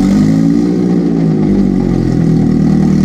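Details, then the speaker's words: Jetta (built to about 500 hp) after billet fuel rail and fuel pressure regulator install, jump-started from a booster pack on a fully flat battery, first start in about two months: loud, smooth, steady cold idle with no stumbles; fuel pressure about 41 psi. "that was very loud so it runs"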